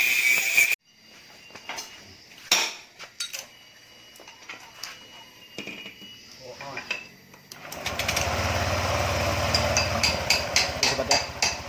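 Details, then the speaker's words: Honda Vario 125 with hard starting, after cleaning and reset: some handling clatter, then starts on first press and settles into an even steady idle, no misses or knocking; cause was poor maintenance, dirty air filter and cooling. "Sudah stasioner, sudah normal, terus starternya nggak perlu kayak tadi sobat ya, berulang-ulang, nggak perlu putaran cepat baru dia hidup sobat ya."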